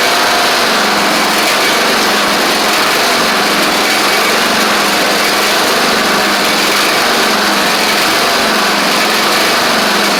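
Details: Craftsman DYT4000 riding mower running after a suspected faulty seat safety switch: steady high engine drone with a faint wavering hum underneath; owner suspects the pulleys, maybe quieted with WD40, unconfirmed.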